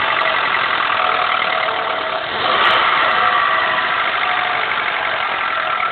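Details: 2000 Honda Accord, F23A1 engine, 167k, cold start: light rapid ticking knock over the running note, heard only between idle and 2k rpm; owner unsure whether rocker arms/camshafts or a rod knock.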